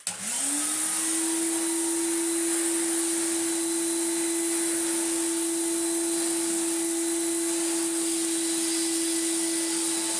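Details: Refurbished commercial Numatic BX190 (BX.BX) vacuum cleaner with original single-pedal floor head: motor spins up within a second to a steady, even whine with no rattle or pitch wander; running healthy after restoration.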